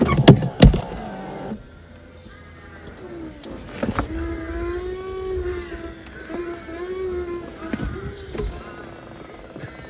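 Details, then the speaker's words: Audi A4 convertible roof hydraulic pump after topping up fluid: low, wavering drone that sags and labours with no clean stop, and the roof gets stuck. The pump strains from low hydraulic fluid, which leaked out again. "It's not very happy. It's stuck."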